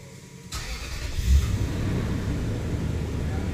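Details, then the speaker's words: 2005 Toyota Tundra 4.7L V8 4x4 after repair of rough running with coil codes P0351, P0354, P0356, P0357: short crank fires, briefly flares, settles into smooth steady idle without stumble; normal start and idle. "okay so we got one on five that's it feels really smooth right now"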